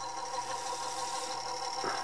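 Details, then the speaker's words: Harman/Kardon CD 91 cassette deck, opened up and partly repaired, in playback with the idler wheel driving the take-up spindle. A thin steady hum with a faint rough rumble underneath. Noisy motor; owner suspects the belts, and the motor may need reworking or replacing. "of course obviously I figure this thing is not supposed to sound like sound vaguely like a diesel engine like it does now so some of that I think is related to the belts"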